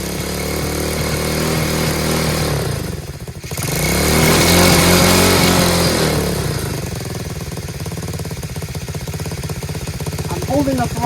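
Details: Chinese Tao Tao 125cc ATV quad with new carburetor, on choke: engine sags and nearly dies around three seconds, then keeps going only with throttle blips; idle screw set too low, to be turned in half a turn.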